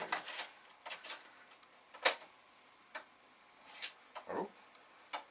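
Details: Amiga 500 (yellowed, missing F10 key) floppy drive at power-on with no disk inserted makes irregular light ticks and clicks on a quiet background, the usual empty-drive clicking asking for a disk; drive alive and behaving normally.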